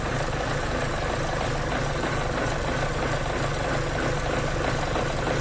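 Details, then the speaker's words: 2011 Chevrolet Cruze 1.8L with an uneven, loping rough idle; running badly lean with long-term fuel trim 33% and short-term 36%, plus many codes incl. P0171. Cause found: coolant in the wiring harness from a melted thermostat heater. "here i got it fired up and it's loping pretty good here right at an idle"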